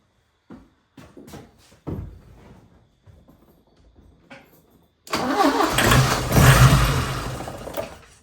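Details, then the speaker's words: 1980 Porsche 924 Turbo, new fuel filter fitted, started on starting fluid with a possibly weak jump box: slow, uneven cranking, brief rough firing, then it dies. Owner plans to clean the injectors. "Almost something. Our jump box might be dying, but we're gonna give it a couple more shots of starting fluid and we shall see."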